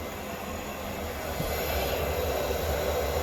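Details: Propex Heatsource LPG space heater in a motorhome after cleaning and servicing, previously shutting off with a fault: steady, even rushing roar with a constant fan hum, no popping or fluttering; normal heater operation.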